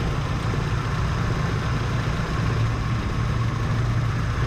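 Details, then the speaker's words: 1977 Chevy C10 V8 at idle before spark plug work: low, lumpy uneven beat with one cylinder repeatedly dropping out; misfiring at idle, plug wire pull tests show little change. "during the entire time she's running with a misfire"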